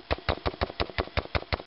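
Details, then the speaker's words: Vintage Electro-Voice SP15A 15" woofer, distorted even at low volume, cone pushed by hand: regular clicks about six times a second, each with a scratchy rub; owner suspects rubbing and a voice coil broken in half. "and if you even move the the the cone manually you can kind of hear a clicking and grinding type noise flapping or something going on can you hear"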